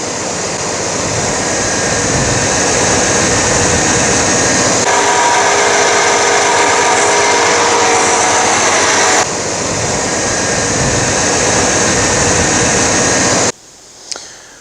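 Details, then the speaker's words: 1989 Chevy K1500 running after alternator replacement and belt reinstalled; steady, even drone with no squeal, chirp or grinding from the belt area, how a healthy alternator should sound. "alright so hopefully you can hear the difference how that's that's the way an alternator is supposed to"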